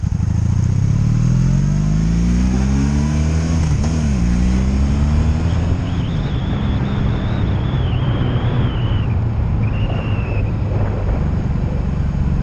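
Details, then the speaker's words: 2002 Honda Magna VF750C, warmed up, on its first non-stop road test after it previously died when put in gear: engine note climbs and settles evenly through the gears, no misses, ignition cuts or bucking; smooth running. "Ladies and gentlemen, that was going to be the test run for the first time ever on this bike with it running non-stop. That means no ignition cuts, no bucking, no nothing, just it ran good."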